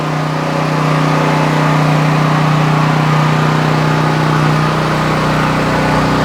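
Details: New Troy-Bilt XP 7000 W generator with Briggs & Stratton engine, first start on ethanol-free fuel with added fuel filter, before break-in: loud, steady even drone, no misses or knocks; normal running.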